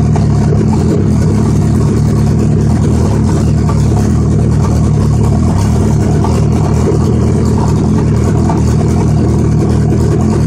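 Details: Suzuki Hayabusa (Busa) hard to start: steady unbroken starter churn spinning the engine about ten seconds without catching; owner reports fuel pressure drops as it cranks, cause not confirmed despite trying everything.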